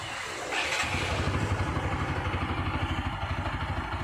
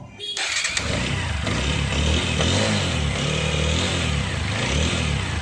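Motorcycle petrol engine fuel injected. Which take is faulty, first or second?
second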